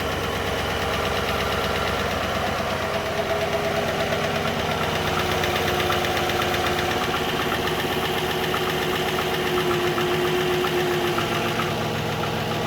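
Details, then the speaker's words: 2013 GMC Sierra 5.3L V8, 198,000 miles, after replacing all lifters, camshaft, timing chain and oil pump for stuck cylinder 6 lifter: fresh start, smooth steady idle, light valvetrain patter fading as lifters prime, good oil pressure. "running good. Can hear the lifters getting primed up. Good oil pressure."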